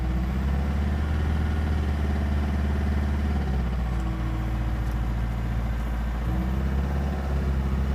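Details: VW 1.9 TDI (BSU engine) with single-mass flywheel, new clutch and camshaft: diesel ticks over with a deep, uneven knocking beat under the clatter; owner says the knock gets louder on overrun in 1st-2nd gear; origin unknown.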